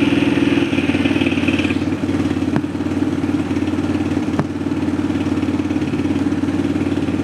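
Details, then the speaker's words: ATV with an added radio, amp and subwoofer, engine idling, Boss DC noise filters fitted on the radio power: two sharp isolated speaker pops about two seconds apart. Electrical interference is still getting through the filters. "Okay, have both noise filters in place. I'm not very impressed. I still hear an occasional pop from the speakers."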